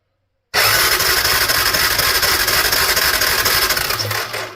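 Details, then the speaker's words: Honda Fourtrax quad cranking with no spark: steady starter cranking about four turns a second, never fires; ignition coil boot was broken but spark still missing, so the CDI box is being swapped. "nothing so to my belief that it wasn't the ignition coil um well I mean it was the ignition coil in the sense the boot was broken but there's something else going on with the ignition system so let's swap out that CDU box"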